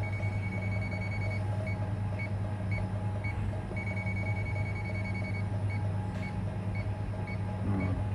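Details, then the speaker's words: Getra meat slicer, dead with no power: a non-contact voltage tester run along the power cord switches from a steady beep to slow, different chirps at the spot where a conductor is broken. "Nah di sini ada suaranya berbeda kemungkinan di area sini kabelnya ada yang putus ya"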